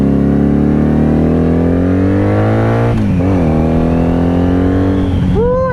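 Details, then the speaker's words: 1997 Honda Magna VF750C with loud Vance & Hines exhaust, first test ride after a week of repairs following a wreck: the exhaust note rises cleanly through the revs with crisp gear changes, pulling strongly; acceleration sounds healthy. Rear brake still weak. "Woo, that sounds great. All right, so far so good."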